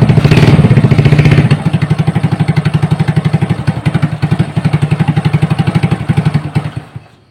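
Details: Honda Supra with BMC right-hand block, idling after teardown with the valve cover off to check oil reaching the head: even, steady putter with no knocking or rattle, shutting off cleanly; the earlier rough noise is gone.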